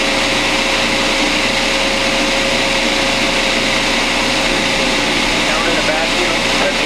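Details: Refrigerant recovery unit pulling refrigerant from a Whirlpool ABB2224WEB2 refrigerator (not cooling, failed compressor) before compressor replacement; constant high hiss with a thin steady hum underneath, no surging or knocking, running normally.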